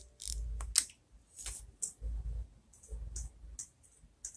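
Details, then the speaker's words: Nintendo Wii optical drive with a foreign Blu-ray movie disc inserted: short spin-up bursts with sharp ticks every half second, repeatedly retrying; the drive can't read the disc. "oh do you hear it it's making weird noise noises an error has occurred blah blah blah blah blah yep it won't work"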